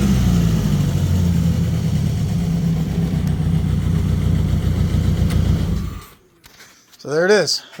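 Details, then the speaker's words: Plymouth Neon sat at least 8 years, running after missing fuses fixed, makeshift fuel pump: deep, steady, even note about six seconds, no misses or knocks, then shuts off; normal running. "was the problem the whole stinking time something stupid but it runs now"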